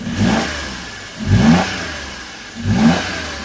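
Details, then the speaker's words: Daewoo Matiz just after an oil, filter and plug change, revved three times with the air filter not seated: a loud hollow induction roar on each blip; refitting the filter makes it quieter. "I haven't got the air filter back on properly and while I quite like the noise of that uh it is a measured amount of air going into the engine"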